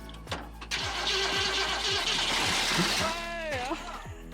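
Starter grinds the engine over at about three beats a second, steady and even, but it never fires or catches.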